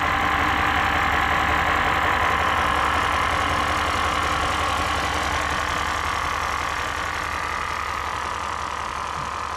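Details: Range Rover L405 diesel, rough on starting, white exhaust smoke: uneven idle, steady lumpy beat about four per second with rattly edge; rough running, cause not yet found.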